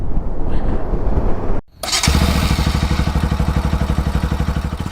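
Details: Bajaj Pulsar NS200 motorcycle on a Rameswaram to Kanyakumari road trip: engine running, then suddenly cuts out mid-road to near silence and fires back into an uneven idle; stall from fuel starvation due to a blocked tank vent.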